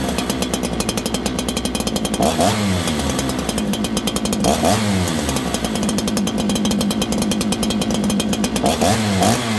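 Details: Farmertec 288 kit chainsaw, the builder's own saw, started without choke with the bar getting oil: it picks up cleanly and drops back on each blip with crisp throttle and no bogging or sputter, a healthy two-stroke unlike the lean one.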